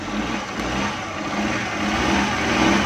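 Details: Suzuki Ravi (Bolan) on petrol/CNG, after a new relay fixed its morning starting problem: engine runs evenly and builds smoothly in revs with no misses, knocks or rattles; normal running.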